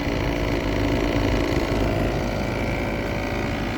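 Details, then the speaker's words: 2021 3-ton Trane XR14 heat pump frozen up in heat mode at 33°F and 85% humidity. The compressor gives a loud, uneven droning rumble with a coarse pulsing throb, running rough; cause unknown. "all right here we have a train XR heat pump that replaced a 2011 three-ton Goodman and it is frozen up and sounds like crap 2021 three ton that does not sound good at all"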